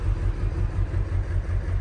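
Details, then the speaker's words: Ford F550 7.3L Powerstroke diesel, first start after a no-start possibly from injectors not firing, ICP still high at idle: low, lumpy idle surging and sagging unevenly; rough idle, likely cylinders missing. "Duty cycle, things are looking a little bit better, but it's running really rough."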